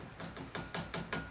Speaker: You gotta heat it up where you don't hear that anymore. It's more like a softball than a baseball, you know what I mean?